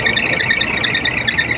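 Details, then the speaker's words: Air conditioning unit running: continuous high warbling squeal as the V-belt slips on a misaligned pulley; belt itself still in good condition. "So ayan mga ka-rack merong maingay dito oh. Maingay yung belt."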